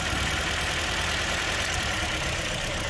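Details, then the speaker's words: 2008 Toyota Corolla ZRE152 at 151,000 km with the engine light on and shuddering: a misfire shows as a faint uneven thump at idle, and the note shifts as each ignition coil is unplugged in turn to find the dead cylinder. "hopefully you can hear the engine this firing you might be able to see it but basically what you want to do is just go one by one and unplug these coils"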